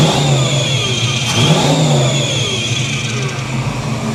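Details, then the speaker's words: 1983 Chevy C10 350 small block V8 after Holley 4bbl carburetor swap, previously backfiring and dieseling on shutdown: deep burble rises smoothly with throttle and settles without stumbles or pops; now running clean. "mint she's running good good good I like it"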